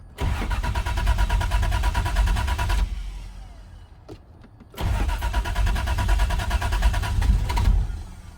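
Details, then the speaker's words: 1992 Lexus SC300 turbo 2JZ, about 512 whp, built with CP pistons, AEM V2, CX Racing turbo, 3-inch dual exhaust, on premium fuel: cold start catches quickly into steady fast idle, stalls, restarts cleanly, no misses or rattles; healthy. "put the camera here so we can start it up get a nice cold start for you this is a cold start"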